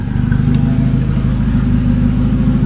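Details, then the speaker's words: Volvo 760 Turbo with exhaust unbolted, revs held steady: loud, open, deep drone with faint turbo hiss; normal running without exhaust. "Now it sounds like a turbo car. Woo, you can hear the turbo, that was cool."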